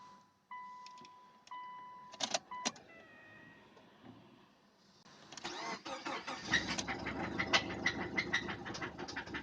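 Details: Subaru EJ204 engine: after the door chimes it starts, and a light, steady knock of about three per second rides over the idle; teardown confirmed a spun rod bearing in cylinder 1.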